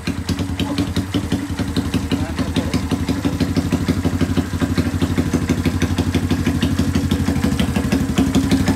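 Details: 1981 Kawasaki Binter Mercy 200cc, previously hard to start: restarted without throttle, steady even idle putter with regular exhaust pulses, no misses or knocks. Normal idle.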